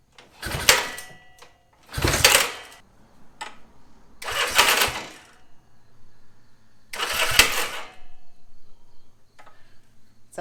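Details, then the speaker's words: 1965 Honda CA77 Dream motorcycle, 56 years old, first start attempt after fitting exhaust, carb and chain, fuel fed from a bottle: harsh metallic snapping/clattering bursts every few seconds on kick and electric start; owner suspects the kickstart mechanism, possibly engine damage. "there's some sort of like metal snapping noise you know uh it was doing it when i was trying to kick start it as well so i think it might be from the kickstarting mechanism or something"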